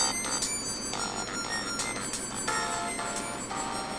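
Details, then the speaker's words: Toshiba Portege 300CT laptop's built-in speaker playing music: thin, buzzy sound with a rattling edge even at quiet volume, with either the Windows mixer or the hardware volume control; the small speaker cone is bottoming out. "listen that thing bottoming out it doesn't at any volume too"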